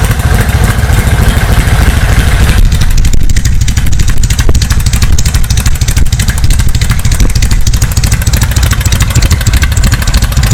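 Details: 1931 Harley-Davidson motorcycle, primed with the choke: deep, lumpy, uneven thump settling into a steady loose idle once it catches; cold start and idle normal.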